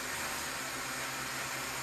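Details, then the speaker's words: DJI Mavic Mini 2 after repair of error 30210 (motor wires resoldered white, black, red), armed indoors without propellers, sticks moved: steady even whir, no rattle, pitch level; motors run normally. "Start arming, mantap, kembali bisa normal dan terbang lagi nanti. Digerakkan juga mau berbeda suaranya, jadi normal."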